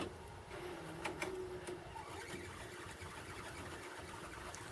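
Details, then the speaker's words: VCR rewinding a tape in an endurance test after playback worked: a thin, high squeak rides over the fast rewind whir. Owner suspects the tape rather than the VCR transport; cause unconfirmed. "God that's squeaky I really wonder if that's the tape or the VCR I would think that's probably the tape because usually with anything taped when it's something squeaks it's the tape"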